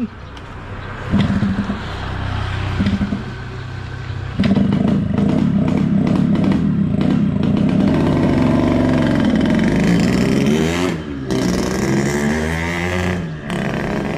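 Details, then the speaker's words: Yamaha RX-King two-stroke after carburettor setting including the needle: deep crackly burble swelling and falling with blips, strong growl, far better than its weak sound on arrival; normal healthy two-stroke exhaust note. "Suaranya beda kali datang tadi sama ini. Pertama tadi kayak culun kali suaranya kan? Udah musik nampol itu gua."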